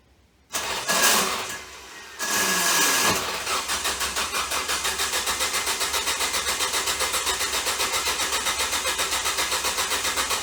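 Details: Ford Focus: starter churns steadily about four beats a second for several seconds, engine cranks but never starts; bad starter shorted from burning up.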